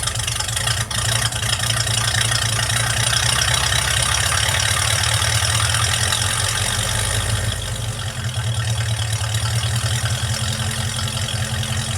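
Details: Project truck petrol engine warm start after a vacuum leak was fixed: steady, even low rumble with no hiss or stumble, runs better.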